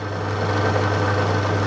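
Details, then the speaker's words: Plugged-in motor after refitting the belt and clearing loose items that caused rattles. Steady low hum with an even, smooth tone and no rattle or knock: the rattle is gone and the motor runs quiet and healthy. "that's proper quiet oh brilliant"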